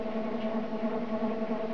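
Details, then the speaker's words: Homemade e-bike drive from a modified alternator with toothed belt primary reduction (about 3:1) and 16-tooth sprocket, spinning rear wheel unloaded: steady buzzing whir with a clear tone; belts too tight and rigid, to be loosened. "they're a bit too tight at the moment and this belt is really quite rigid which is not ideal as a result it runs kind of noisy like a lot about noise will be gone once I reset the team gently"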